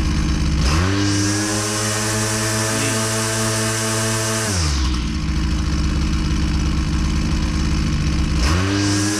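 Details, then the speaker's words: Husqvarna 122C string trimmer two-stroke at full throttle under load with full string, after high-speed screw adjustment: high steady wail with faint burble, on the edge of four-stroking; high-speed mixture slightly rich. "it's still a little bit too rich I'm right on the edge between uh four stroking"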